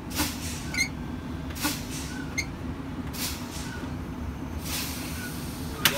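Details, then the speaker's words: Truck air brakes during a pre-trip spring brake pop-out test: short air hiss bursts every second or so over the running engine as the pedal is fanned, bleeding down normally until tractor and trailer brakes pop at 26 psi. "Last test you're going to do is a spring brake pop out test. I'm just going to fan my brake pedal until the spring brakes pop out."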